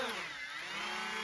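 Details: Volantex Spitfire 3-channel RTF foam plane, twin wing-mounted electric motors on the ground after throttle arming: smooth, steady high whine drifting slightly in pitch with throttle and differential thrust; motors spin up cleanly with no roughness.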